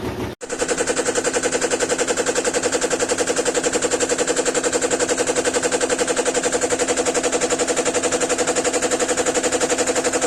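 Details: GEDTECH GLL71200WH 7 kg 1400 rpm front-load washer, under 3 months old; hard even banging about four knocks a second through spin, machine shaking abnormally; also shows E2 and won't spin at cycle end.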